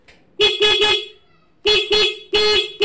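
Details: Yamaha Mio M3 with key on: loud, clear horn in short bursts, three toots then two pairs, holding full pitch. Normal horn shows a strong battery, though electric start fails while kick start works.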